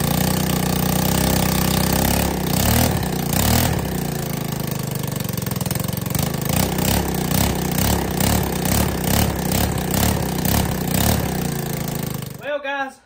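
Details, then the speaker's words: ATK 125 go-kart, small single with a homemade welded muffler: loud, sharp popping with a raspy chuff on each firing and a ragged idle; back pressure forces fumes out an exhaust leak at the manifold, and the owner expects it quieter once fixed. "Now that it's got a little bit of back pressure, it's pushing most of the exhaust fumes back up where that leak is. And I believe once I get that leak fixed, this thing will be a whole lot quieter than what it is now."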